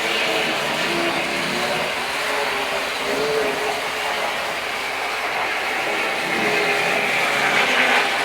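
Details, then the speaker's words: Hornby R504 Inter-City Express set model train from 1973: light, even whirring hiss with soft rail clicks that rises a touch as it speeds up; ordinary bogie noise, runs normally. "Yeah, you'll notice that the noise does change when it speeds up."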